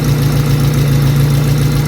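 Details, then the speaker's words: High-mileage Honda EK hatchback at idle and revving; steady low idle with a rough, puffing edge, from a cracked exhaust manifold. "It already sounds kind of horrible, but I'm gonna rev it so you guys can hear how bad it really sounds. Yep, sounds like shit. There's a crack on the manifold."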